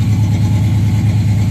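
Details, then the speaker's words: 1976 Camaro, rebuilt Holley four-barrel carb with a newly connected electric choke, cold start: an even burble held at high idle that slowly eases, taking 2–3 minutes to reach normal. Owner suspects the choke idle screw is set too high; fuel use is up. "it usually takes two almost three minutes until it's at normal idle in operating temperature"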